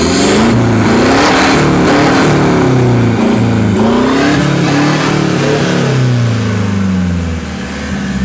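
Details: New 2021 Toyota Hilux diesel, 1,700 km, after Bilstein and OffShox shock install: crisp revs climbing and falling cleanly, smooth raspy exhaust, no knocks or rattles; healthy engine revving freely.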